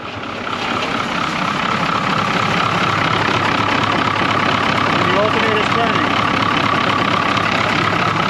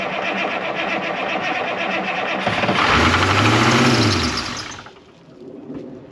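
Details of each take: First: 1981 International Harvester diesel snow plow truck that sat for years, after a locked-up alternator was found, with water in it: steady, even clatter at idle, about two and a half beats a second, running well. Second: 1981 International Harvester diesel snow plow truck, sat for years and fuel-primed: cranking clatter catches, then it surges to high revs for two seconds as the throttle pedal sticks to the floor and is pulled back. Stuck throttle.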